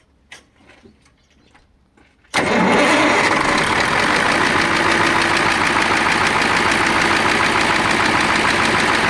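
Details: KAMAZ diesel truck that knocks and expels antifreeze: cranks, fires, then loud hard even knock about three per second at idle; owner suspects stuck injector, cylinder liner or compressor, with gases bubbling into coolant; unconfirmed.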